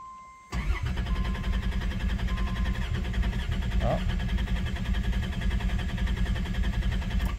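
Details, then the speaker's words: 1990 Dodge Grand Caravan LE, first start after two months sitting and reassembly with the fuel tank refitted, no fuel gauge reading: the starter churns about seven seconds without catching; long crank, tank nearly out of fuel. "unfortunately I don't see a fuel reading that scares me a little bit but I do here just go off but we're pretty out of fuel anyway"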